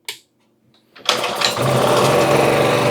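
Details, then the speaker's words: 2000-watt portable generator, sat a couple of years, fitted with a new carburetor, started on full choke: catches on the first pull and settles into a steady even buzz; normal start. "Let's go! Yeah! Oh yeah! It works!"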